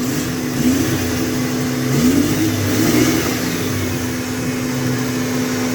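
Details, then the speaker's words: 1995 Ford Mustang V6 after thermostat replacement and coolant refill, before bleeding valve: steady even note with smooth rev rises, no knocks; coolant hose no longer collapsing, engine healthy. "the hose isn't trying to collapse anymore"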